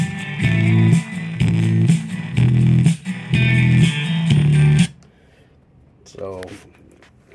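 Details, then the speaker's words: Milwaukee jobsite boom box on auxiliary input with bass turned up: bass-heavy music breaks into fuzzy rattling buzz on low notes; speaker distortion from worn-out speakers. "you could hear that that's the problem that we have and we need to uh fix that problem"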